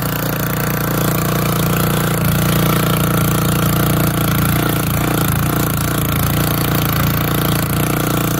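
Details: Old auction-bought Montgomery Ward tiller tilling hard, packed dirt: the small engine holds a firm, even drone that dips briefly as the tines bite. Strong, healthy running under load.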